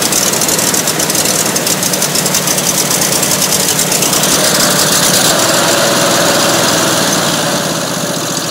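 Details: Rebuilt racer small engine, first run after rebuild, fed fuel down carb then from tank, snowy weather: loud, steady run with even firing about three beats a second, no knock or miss; runs sweet, normal.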